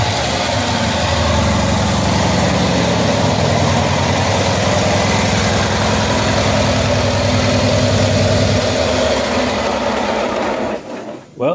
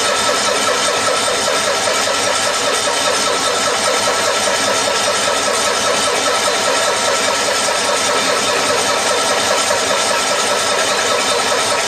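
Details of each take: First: 1974 Cushman Truckster Haulster small engine starting and idling after wiring work and exhaust redo, after sitting for years; steady, regular putter with a consistent beat, no misfires or rattles, normal idle. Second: 1974 Cushman Truckster Haulster, sat for years, after wiring repair: long steady starter cranking with no catch while the mechanical fuel pump refills a dry carburetor from a full tank; extended cranking, dry carburetor.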